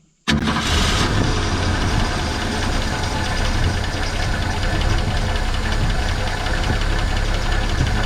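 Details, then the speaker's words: 1970.5 Ford Falcon that sat 28 years in a junkyard, at its first start fed by hand with fuel, catches and settles into a smooth, even idle with no misfire, knock, smoke or blowby; it idles normally, though the owner suspects the fuel pump isn't picking up fuel. "Yeah, running. Runs good too. She ain't picked her up yet. Well, it runs. It runs awesome."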